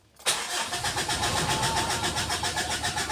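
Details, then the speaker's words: 2017 Mitsubishi Strada 4D56 common-rail diesel after injector repair, fuel tank cleaning of water and debris, and line bleeding: brief crank, catches and settles into a steady even diesel idle with regular clatter; starts and runs normally. "Yan ayan. So umandar na guys. W na may chickening lang. Okay ayan. Okay na guys."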